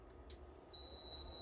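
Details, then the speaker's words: Server "Loki" after fan replacement, powered up with no monitor and LAN connected: fans spin up, then a steady high-pitched beep holds, warning that a power supply is not plugged in. "yes it works it spins it's on oh my god it's making a beeping noise what could that be oh i don't even know what that beeping noise is"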